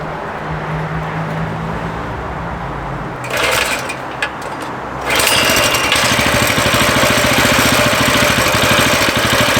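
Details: Coleman CT200U mini bike just after a carburetor replacement, started with fuel on, choke on and switch on: a few quiet seconds, then the small engine catches and settles into an even, quick putter around three beats a second; starts and runs normally.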